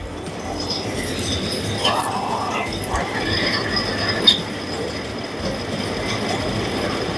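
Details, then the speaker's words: Carrier 1.5 ton 18,000 BTU window AC: rough scraping rattle with metallic squeals over the fan rush, from defective fan motor bearings, later replaced. "Is making abnormal noise from the motor."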